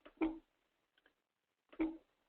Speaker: Yeah, every time I do something, it's clunking. Can you hear it? I don't know why. Yeah, I can hear it. Yeah, that means it's not letting you control your thing.